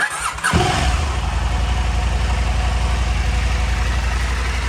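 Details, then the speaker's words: KTM 890 Adventure R cold start after Dirt Tricks timing chain tensioner and FuelX Lite install; quick fire, steady idle, usual cold chain rattle gone; normal cold start. "I don't hear the usual rattling noise when you first turn it on when it is cold, so that tensioner is doing whatever it's supposed to be doing."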